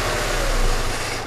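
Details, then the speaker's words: Subaru petrol engine at idle with a vacuum hose deliberately pulled to create a lean condition: steady airy hiss, uneven idle sagging almost to stalling, while wideband air/fuel sensor voltage and equivalence ratio rise. "okay so let's see if that actually happens all right maybe you can hear the vacuum"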